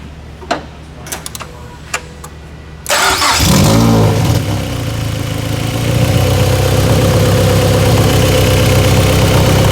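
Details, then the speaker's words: Mazda Spec MX-5 Miata race build, first start-up after wiring, coolant and Mazda Motorsports intake work: sharp, regular puffing chuff at idle riding over the engine note, a definite exhaust leak. "Definitely an exhaust leak. Do you hear that? Holy moly."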